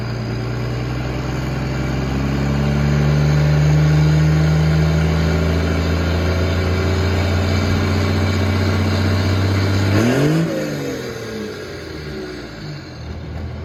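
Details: Cummins diesel truck around 45-50°F, after working on an exhaust brake that had been frozen open: held at steady revs, then throttle released and a falling whoosh sweeps down as the turbo spools off cleanly; normal spool-down.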